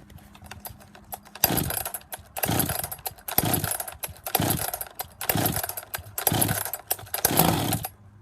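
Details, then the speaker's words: Husqvarna 262XP two-stroke chainsaw after decompression valve, clutch drive sprocket and bearing replacement: fires cleanly, choke off, throttle blips settling to a steady fast idle; running healthy. "Fired, turn the choke off, leave it on fast run, so just push the choke in."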